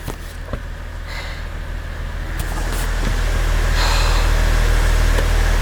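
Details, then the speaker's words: Toyota Chaser 1JZ converted to R154 manual with twin-plate clutch, clutch pedal depressed: steady low idle with light fast even rattle on top; normal twin-plate clutch float rattle. "it actually shocked me how loud the twin flight is because obviously twin plates make a lot of sound because when you've depressed the clutch the two plates are like sort of floating in between everything so you're gonna hear that weird like rattly sound"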